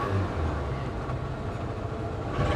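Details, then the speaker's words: Salvage-auction BMW X5 V8 with 187,000 miles, started during a walk-around. Low, shaky, stumbling running with no steady beat, a severe misfire, which soon seems to run better. "oh she's got severe misfires"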